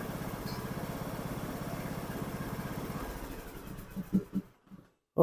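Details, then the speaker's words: John Deere LA125 riding mower, after carburetor replacement and new air filter: even, steady low putter at idle with no misses or knocks before shutdown; carburetor crack possibly from water freezing. "runs light new again you know that's kind of puzzling how that crack that carburetor like that"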